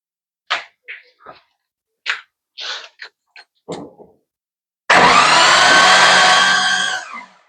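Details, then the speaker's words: Barn-find 1993 Jeep Wrangler with a rebuilt donor head bolted on: a few clicks, then a fast, even starter whir with no compression strokes or firing; cranks but won't start, owner suspects still no compression. "I hook the battery back up. I'm going go and kick it over myself."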